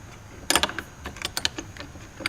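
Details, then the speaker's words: 1970s Ludwig Speed King bass drum pedal with compression-spring and cam mechanism, before refurbishing: worked by hand, metallic clicks with short high squeaks on the strokes, the pedal's known squeak. "Yeah, oh, there it goes. That little squeaky noise. Listen sometime to I'm Still Lovin' You by Led Zeppelin, right in the beginning of it. And you'll hear John Bonham's Speed King squeaking away."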